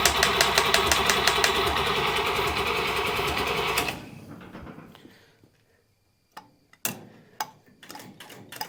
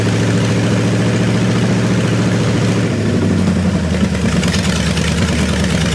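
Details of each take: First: Buick Nailhead V8 vintage rail dragster after carburetor change: fast, even cranking for about four seconds that never catches, then scattered clicks; only a tiny accelerator-pump shot, fuel not reaching the carburetor; crank no start from fuel starvation. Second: Buick Nailhead V8 rail dragster after a carburetor change and tuning, now getting full fuel instead of a splash: loud, deep, lumpy burble that settles into a steady, even idle. Normal idle.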